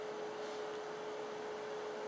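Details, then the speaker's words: Monacor PA12040 4-zone 100V line mixer amplifier on the bench: constant single-tone fan hum as the fan kicks in, indicating the fault. "I hope you can hear that that fans just kicked him that's indicative of the problem"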